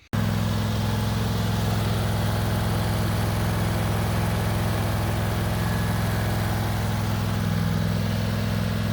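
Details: John Deere lawn mower after repairing damaged PTO switch connector pins, started with parking brake on and choke. Engine settles straight into an even, steady low drone with no misses or knocks: normal running.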